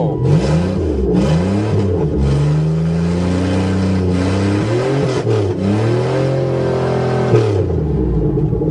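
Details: Buick Regal after scraping a plate clean for a good ground connection, previously no-start: engine catches and revs smoothly through several blips with no misfire or stumble; normal start and revving.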